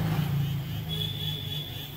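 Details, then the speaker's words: Mini remote control toy car: small motor whirs steadily with faint high whine and no load; motor runs but its gear fails to drive the wheels. "ये देखिए system on हो गया है यह अंदर से motor चल रहा है पर इसकी जो गिररी है इसको चलानी चाहिए व चला नहीं पा रही"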